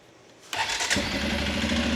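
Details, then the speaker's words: 2006 Arctic Cat 400 ATV after repair of air leaks and a carb clean; quick crank, catches at once and settles into a steady, even idle. Normal start. "it fires right up. So, this guy is ready to sell."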